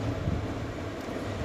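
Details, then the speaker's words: Ceiling fan running normally but noisy: a steady low hum with a rough, rattling growl from a worn bearing, before bearing replacement. "यह हमारे पास में एक पंखा आया था। इसमें प्रॉब्लम यह है कि ये आवाज कर रहा है।"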